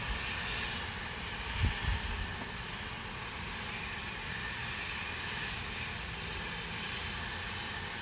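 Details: Loud continuous even hiss with low rumble underneath, heard from a distance; Spooner Industries, Ilkley, 6 April 2021, 8.45am, recorded within a neighbouring property boundary, audible over 100m away; source unknown.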